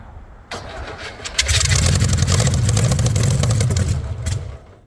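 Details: VW Beetle rat rod, first start after a long build: starter churns about four beats a second and the engine never catches. It is fuel-starved with only a weak carb squirt; owner considers refitting the electric pump.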